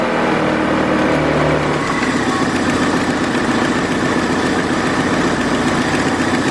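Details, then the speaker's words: 2002 Kia Optima with code P0102 that stalled when put in drive; after replacing a dry-rotted vacuum line, the engine starts and settles into a steady, even idle that holds on its own without stumbling: normal idle. "Wow thank us problems the idol is stand by itself"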